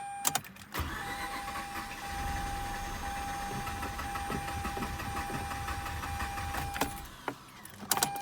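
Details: Mazda RX-8 rotary, about 129,000 miles, cold, which died after a weird idle with the check engine light flashing; gas held down to deflood. The starter spins steadily for several seconds but the engine never catches: cranks without starting. Owner suspects flooding or worn apex seals.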